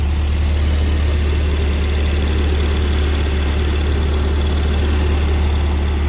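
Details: Volvo cold start after swapping its orange-label 503 LH 2.0 ECU for a green-label 510 LH 2.1: steady, even low rumble with no lope or hunting, unlike its earlier cold loping. A wrong mass airflow sensor is fitted and gives some ignition ping. Normal cold idle.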